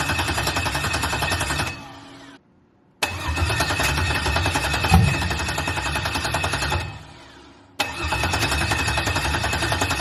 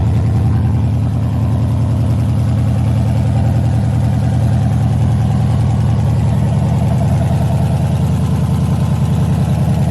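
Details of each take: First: LS-swapped 1986 El Camino (swapped heads, cam) on its first start attempt with a charger in jump mode; fuel pump runs, steady even cranking never fires; crank no-start blamed on the anti-theft system (VATS) not deleted in the used computer, originally from a 4.3 V6. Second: LS-swapped 1986 El Camino, 5.3 with Camaro heads, cam and LS6 intake, first fire-up on open headers with no exhaust yet; loud V8 with a choppy, lumpy idle that stays even without misses; normal idle.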